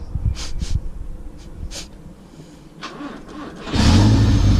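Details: Honda revived with a makeshift ground cable and a fully charged battery, no coolant or transmission fluid, after fuel priming. Some clunks and rattles, then it catches on the first try and settles into a steady, even rumble. Normal start.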